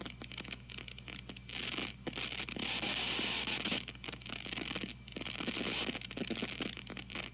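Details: TG-TEK tablet with headphones plugged in while loading web pages and ads: constant fizzing hiss with crackle bursts that swell and fade as it works. Occurs only with headphones during downloads or multitasking; music plays clean; cause unconfirmed.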